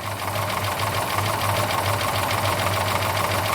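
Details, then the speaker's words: 1972 Plymouth Duster V8 idling after timing advanced, 60 lb oil pressure: fast light ticking clatter over the lope, sounds like rockers needing adjustment all round; running snappier, distributor still not right; rocker arm clatter. "I think I need to go through and adjust them all it's Snappy now little better"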